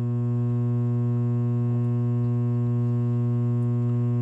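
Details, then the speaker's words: Coleman DGAA056BDTA furnace trying and failing to start, steady low electrical hum with even overtones; three-flash error code, combustion air switch failed to close. "the furnaces now on do you hear it making that noise that humming noise well that indicates it's trying"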